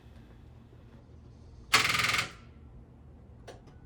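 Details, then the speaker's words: 2004 Mustang GT 2V with a new wire harness, first start attempt on a 2021 battery that went bad despite charging; a single half-second rattly burst then silence, no proper cranking, weak starter from low battery voltage. "i know that that sound is the sound of a starter not getting enough power"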